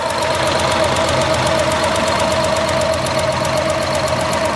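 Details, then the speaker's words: Ford Escort Mk1 with ST170 engine and individual throttle bodies, before balancing with a vacuum gauge and with the throttle cable reset: the idle runs lumpy and uneven with a loose tick about three per second. Rough idle from out-of-balance throttle bodies. "so you can probably hear that it's running really rough and that's because the throttle budes are out of balance"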